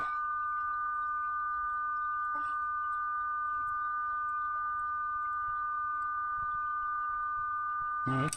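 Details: Howard Model 45 radio during IF alignment, adjusting the pots: clean, steady pure tone sitting strong and unwavering over a faint background; test signal peaked, alignment right.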